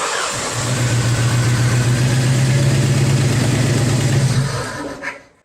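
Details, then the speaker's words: Jeep Wrangler TPI engine idles roughly with an uneven low thump; pulling this cylinder's injector changed nothing, identifying it as the dead cylinder; cause was a bad spark plug, replaced with a gapped Champion. "Okay, so it ran the same with that off as it does on."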